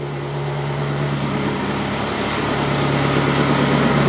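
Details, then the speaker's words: Ferrari V8-engined Alfa Romeo 105 after plugging a hole on the back of the inlet plenum: warming-up exhaust idle, steady even burble settling as idle drops; alternator charging 14.1 V, oil pressure good, sounds healthy. "we're already dropping down the idle cuz it's warming up so we got 14.1 volt so alternator is working and charging um yeah things are doing what they're supposed to do around the back it's sounding quite"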